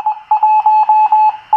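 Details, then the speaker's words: Teensy 3.5 SDR receiver (Charlie Morris ZL2CTM design) after adding 600 ohm isolation transformers to cure hum, whine/burble and encoder clicking. A clean mid-pitched tone keys on and off like Morse over a silent background, no hum or whine; normal receiver audio. "I'm most encouraged by what I'm hearing here"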